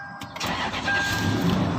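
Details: 2010 Toyota Land Cruiser that had no ignition, no crank, no start from a security/immobilizer fault, after repair: short crank, engine fires promptly and settles into a smooth, even idle; healthy start.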